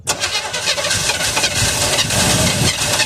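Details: 1978 Chevy Custom Deluxe truck after sitting 21 years: rough cranking with ragged pops and backfire that never settles into a run; it fires only on old 50:1 mix poured into the carburetor.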